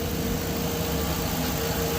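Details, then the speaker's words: 2013 Chevy truck 5.3 V8 after physical and software AFM/DOD delete, alternator belt off and battery draining: smooth, even idle with a steady low hum and no knock, shake or rattle, quiet and healthy; coolant smell off the headers. "It's gonna start running probably a little rough because I don't have the alternator belt on, and it's decharging the battery as we're standing here. Yeah. So we gotta put the alternator on. She's quiet."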